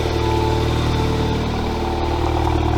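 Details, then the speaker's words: VW MK7 GTI first startup after installing a CTS downpipe: even idle with a low burble, no ticking or puffing from joints, so no exhaust leaks; normal idle. "I guess it does sound good. Well, it doesn't sound like there's any leaks, so I guess that's one good thing."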